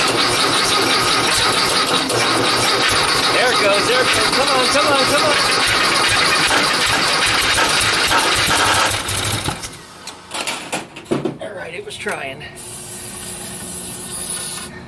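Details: 1956 VW Beetle engine, first start, chilly day, carbs primed with carb cleaner, coil now powered: catches and fires briefly, then falters and dies; owner says it runs fine, problem is fuel supply, needs fuel line and tee joining both carbs.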